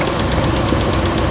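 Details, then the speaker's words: 2006 Dodge Ram 1500 5.7 Hemi V8 idling: it ticks at startup, then settles into a sharp knock about eight times a second on one side. The oil pressure sensor had failed and the truck ran without pressure, leaving clogged, worn lifters rubbing the camshaft. Lifters need replacing, possibly the cam too. "Then once it settles down, you're gonna hear a knocking. Hear that knocking on this side? So the lifter on this side it's wore out."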